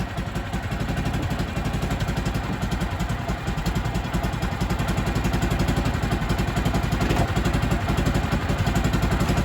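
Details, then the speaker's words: Older Kawasaki Mule 550 UTV, sat 2-3 years, started on old fuel: a steady thumping idle about four beats a second, a bit fast, so the belt drive lurches into gear; the owner suspects the carb idle is set too high. "You hear that? That means it's idled up too high. It's trying to jump into gear and move instead of just going into gear, then you throttling it up."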